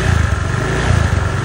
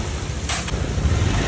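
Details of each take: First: Honda Vario 125 FI scooter that ran without an oil change, stalled suddenly and would not start; restarted, it runs loud, lumpy and harsh with heavy white exhaust smoke, engine oil burning past a scored piston. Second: Honda Vario 125 FI after piston replacement (seized from neglected oil change, rough and white smoke before), oil level checked: low, even, smooth idle putter with no knocking or rattle; engine healthy, back to normal.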